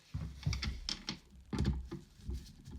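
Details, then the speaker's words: Screw turned backwards in vacuum cleaner dust extractor build: light dry clicks as the screw end drops over the thread start, seating true to avoid cross-threading. "start off your screws you can hear that clicking that's basically the end of the screw hitting the end of the thread but it's made if you turn the other way you should avoid crossing the thread"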